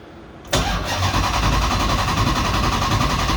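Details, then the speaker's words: 1970 Coronet with swapped 6.1 HEMI V8, first start attempt: starter spins steadily about three and a half beats a second, never catches; crank signal error detected, crank sensor not being read. "red so crank signal crank error detected damn well i can definitely smell the varnish can't you yeah man that sucks"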